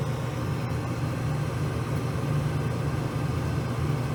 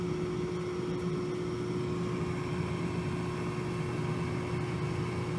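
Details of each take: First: Furnace blower motor, old shaft-through type, running after a capacitor replacement (earlier it hummed, suspected locked up or bad cap; shaft spun freely); a steady, even low hum with no rattle, buzz or surging; the blower runs smooth and normal. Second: Race-shop furnace blower with an old shaft-through motor that spins freely by hand: a steady electrical hum and buzz, the motor never spins up smoothly, then a clunk, possibly a failed blower run capacitor.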